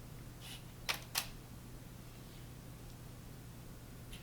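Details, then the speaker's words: Canon EF-S 18-55mm IS lens after repairing its broken autofocus, mounted on the camera: brief soft whirs and clicks as it hunts and locks at different distances. Autofocus now works; a normal focus drive. "testing out a few different distances the lens does actually focus now"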